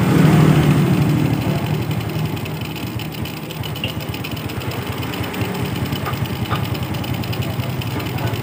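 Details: Yamaha Vega R motorcycle idling after its faulty carburetor was serviced and refitted; air filter cleaning and body covers still to go. A steady, even single-cylinder putter with an unbroken beat and no misses or popping; normal idle.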